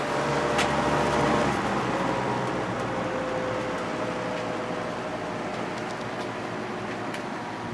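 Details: Vintage 1983–84 Lasko box fan with a plastic Marco motor, previously repaired with adhesive and likely high-hour, running on high: a steady, pronounced low motor hum under the blade whoosh, resonating through the single-piece motor mount and frame. No rattle or scrape.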